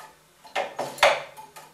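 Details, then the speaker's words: Circa-1918 Gents master clock driving a waiting-train tower clock: a loud clunk every 30 seconds as the pendulum gets its push and a pulse goes to the waiting train. Three crisp clunks, then softer ticks. Normal electric clock impulse. "there is a mechanism which gives the pendulum a push every 30 seconds which you can hear as the loud clunk at the same time the electrical pulse is sent to the waiting train"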